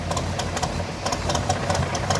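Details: 1985 Chevy K10 with a carburetor that sat a while, which the owner suspects is gummed up. After Seafoam spray and fuel additive and a 15-minute hot soak, the idle now holds but lopes unevenly with irregular ticking and surging: still slightly rough idle.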